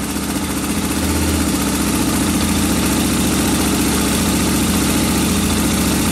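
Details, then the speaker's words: Suzuki DR650 single with carburetor needle clip returned to the 2nd position from top: steady, even, unbroken idle thump; carburettor setting sounds right. "yeah sounds good okay what we'll do is we'll take it for a test drive when the rain eases off"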